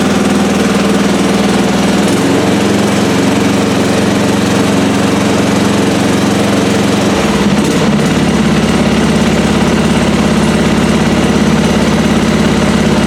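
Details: Lawn mower engine started on a recovered weak 12V lead-acid battery after slow cranking and choking: loud, steady drone with even low beat and no misses or knocks; runs smoothly, charging system reads about 13.5 V.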